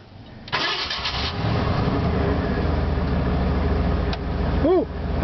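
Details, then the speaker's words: 1989 Ford F-150 with 5.0 V8, new solenoid and belt: quick crank, catches right away and settles into a smooth, steady idle with no stumble, tick or knock; running good. "that's running good today."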